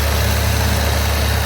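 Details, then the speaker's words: Rally car after carburettor tuning (mixture leaned) and clean spark plugs; this is the after-tune clip, following a pre-tune unstable idle. Deep, steady idle with an even low rumble and no hunting or stumbling. Normal idle, carburettor set well. "Now with the engine running smoothly, we just had to go deal with the brake lines,"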